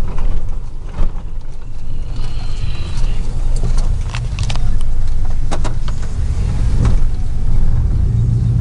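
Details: 2000 Chevy 4.8 V8 truck driving on the road with four coils deliberately unplugged, running on four cylinders; heavy, uneven, lumpy low rumble lacking V8 smoothness, still has power and climbs, a deliberate misfire experiment.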